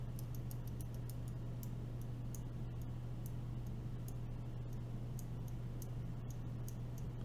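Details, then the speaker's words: Green clicky switches (Gatistotles) with 80 g springs being fitted into an LJD61up carbon fiber keyboard: sharp, crisp, tactile clicks at an irregular typing pace over a low hum, and the switches sound clean. "They are very tactile, very clicky. Love it. That is a great sounding click."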